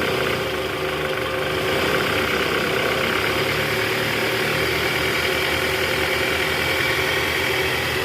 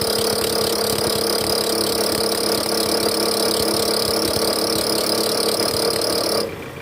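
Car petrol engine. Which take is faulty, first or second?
second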